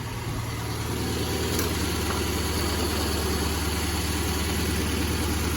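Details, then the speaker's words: 2010 Subaru Forester/Legacy at idle with new plugs and wires: the exhaust pops (pop pop pop) and the engine vibrates with a rough, loping misfire. A test light then showed no spark from the ignition coil pack, the fault. "we'll go back to the exhaust and you can probably hear it popping hear that sound that pop pop pop pop that's a misfire"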